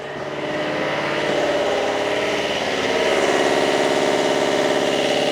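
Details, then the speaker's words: Marine diesel engine with turbocharger, tested after new alternator regulator and fuel filter, primed, slight stumble on start: even diesel clatter under a clear steady turbo whistle that climbs slightly and holds; normal running, temporary success. "well I think we should call that a at least a temporary success and a temporary win because the engine now"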